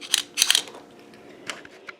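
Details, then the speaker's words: Dial bore gauge dropped on the floor, rubber bushing not sitting underneath; sharp dry metallic ticks in short irregular bursts as the mechanism bottoms out, the tapping noise; gauge mechanism bottoming out. "So that clicking now, the noise you hear is right here. The rubber bushing is not actually underneath of there. So that's your tapping noise."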